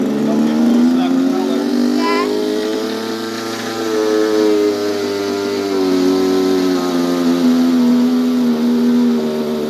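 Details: Dumas big swamp boat with Royal .46 two-stroke model engine, apparently first run after heat-gun warm-up; loud, high buzzing note swelling and easing with throttle, even throughout – running fine.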